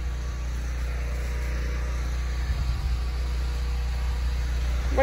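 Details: Off-grid unit whose only job is running the well pump, on an eight-minute timer. A steady, low drone at an even pitch with no hunting or surging, carrying the pump load normally.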